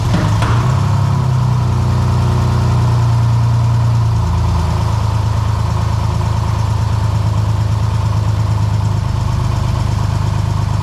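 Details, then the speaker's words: First start of a freshly rebuilt 3.0 six-cylinder in a cheap drift car: cranks over nicely, catches quickly, holds a fast idle, then settles to a smooth, even idle with no misfire; normal cold start. "okay cool it sounds good just started the motor sounds really good cranks over nice sounds good doesn't sound like it's jump in beat working great six cylinders"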